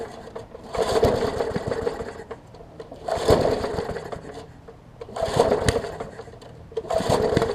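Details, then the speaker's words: Murray 20-inch 3.75 hp push mower, long dormant with freed stuck intake valve: four recoil pulls about two seconds apart, brief spin, no firing; cranks but won't start, owner suspects spark plug or water/debris in combustion chamber. "so i know it's an issue with the uh either like i said either spark plug or something in the spark chamber because it's trying but it's like water or debris or something's interfering with it"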